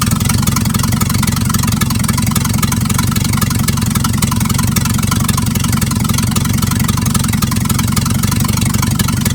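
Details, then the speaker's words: 1950s Dodge dump truck with an inline six, running after sitting 30 to 40 years: loud, raw, rapid exhaust pulsing with no muffling, because the exhaust pipe has rusted off at the exhaust manifold, leaking exhaust. "but it still runs good a little loud because right down there it's an exhaust manifold down there the exhaust pops rusted off"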